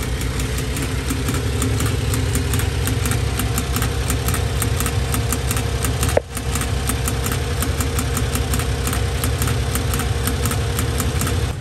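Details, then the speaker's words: Honda Acty mini truck with cheap aftermarket fuel pump, mic underneath close to the pump: sharp fast even ticking about three per second over steady idle, not following the engine; pump grew louder, then began failing with hesitation. "you can hear it in the cab while driving you probably hear it while i'm recording right now it just ticks away and recently it got even louder and then it started to fail"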